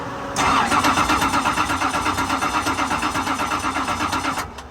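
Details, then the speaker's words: Roush Yates R452 V8 NASCAR stock car being converted to drift car, long-sitting with degraded sludgy oil, battery near 12 V: starter cranks steadily about four seconds but never catches; spark confirmed, fuel delivery still to be checked. "we're getting sparked now so i need to figure out what my next step is um double check the fuel to make sure it's getting the fuel"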